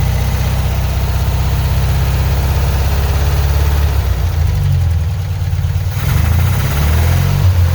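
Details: 1975 Porsche 914 1.8L, carbs at base settings (idle screw in 1.5 turns, mixture screw 2 turns out) after new centrifugal distributor: low idle with a faint uneven stumble; slight miss seemingly on bank one, cause not confirmed.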